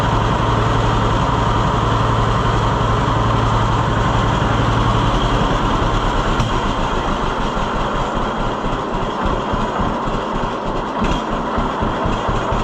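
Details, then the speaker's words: 1948 John Deere B tractor after Wico X magneto maintenance: slow, steady two-cylinder pop-pop at low idle, even, with no misses. It idles lower than it used to and no longer drops to firing on one cylinder; hotter spark credited. "Yeah, that's something. I don't know why I don't think it would have idled that low before."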